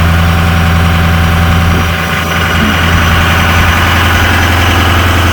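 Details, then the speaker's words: 2006 Ford F-250 6.0 Powerstroke diesel with an upfitter-switch high-idle feature, parking brake applied: deep, steady clatter dipping briefly as revs drop from high idle to an even normal idle when switched off. "let it run just for a second and we'll turn on the switch oh yeah that works turn off the switch"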